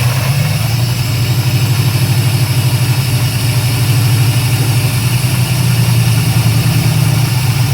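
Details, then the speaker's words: 1993/94 Chevrolet Silverado Z71 with 350 crate engine and 4L80E, running without torque converter; rough lumpy idle with uneven knocking rattle about twice a second over deep rumble from flywheel: cracked flexplate noise. "and that flywheel sounds rough timing to kick back on me a little bit that's why I don't want to run run do it anymore"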